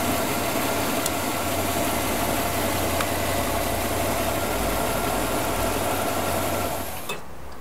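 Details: 1970 GMC Fleetside pickup, 350 V8 with Turbo 350 automatic, about 100,000 miles, single exhaust, recorded from underneath: steady even idle rumble, no misses, knocks or ticks before shutoff; healthy engine, known to smoke slightly after sitting.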